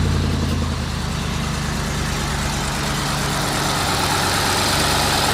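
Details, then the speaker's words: BMW E64 6-Series N62 V8, after being driven 500 yards with zero oil pressure from cracked oil filter cover, first start after replacing the cover: catches and settles into steady even idle, no knocking or ticking, smells slightly rich; sounds healthy. "that sounds like a fully working model to me"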